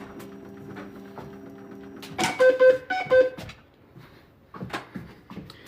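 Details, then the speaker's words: NxStage home dialysis machine unplugged and wheeled on its stand to another room: short burst of even mid-pitched beeps over rolling noise, the power-outage alarm triggered by unplugging, not an actual outage. "all right here we go this machine's pretty light so you know just Glides on the wheels and that beeping is just basically saying hey there's a power outage"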